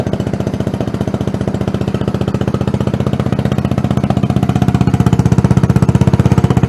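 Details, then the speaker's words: Tomberlin Punisher buggy after engine swap, likened to a GY6 150: steady, even putter about three beats per second, firm low note, no knocks or rattles; healthy idle. "so sounds great sounds real good actually it sounds like a gy6150 on steroids actually doesn't sound too far off being like a bloody yamaha 250 four-stroke to be honest"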